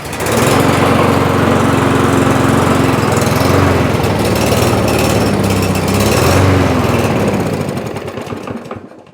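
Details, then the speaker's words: Toro push mower with plastic carburetor: fires, runs rough and uneven for about 10 seconds, then fades and dies. Fuel starvation from clogged carburetor jets and emulsion tube ports, cured by cleaning. "Just what the customer said, it won't stay running. You know what that sounds like? Fuel issue obviously."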